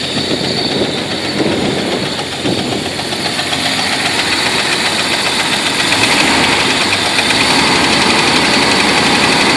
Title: Jeep wrangler knocking noise?